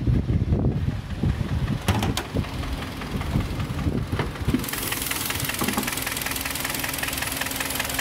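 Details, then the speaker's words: Kia Sportage 3 with 250,000 km and only consumables changed, idling with the hood open: a dull, irregular knocking from worn pistons, audible without special tools. The automatic gearbox also slips. "так у нас работает двигатель даже без спец инструментов слышно как он стучит"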